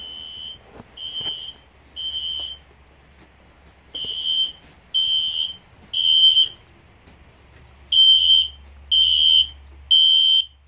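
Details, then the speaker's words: System Sensor SpectrAlert Classic horn strobe on low volume, heard in the background in a house demo with no control panel, strobes set to 1575 candela: loud clean high beeps in groups of three; horn sounding normally. "I have the classic spectr alert horn strobe set on low volume so it's not too loud. You can hear it in the background."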